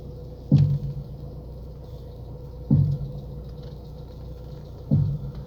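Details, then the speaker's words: Lada Priora, right front, after the strut mount and strut were replaced. Three deep separate thumps about two seconds apart are heard when turning the wheel at standstill or low speed. The owner suspects the spring is slipping off the strut bearing or its cup rather than the mount; this is not confirmed. "появился очень очень неприятный стук сейчас я вам попробую продемонстрировать я думаю камера может запишет я думаю скорее всего это не опора это что-то вроде пружина соскакивает с опорного подшипника либо со стакана"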